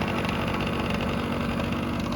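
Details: 1987 Yamaha YSR 50 two-stroke, first cold start in a few months on choke after front brake rebuild and new battery: quick, choppy but steady idle beat with no misses or rattles, sounding healthy once warmed; normal idle.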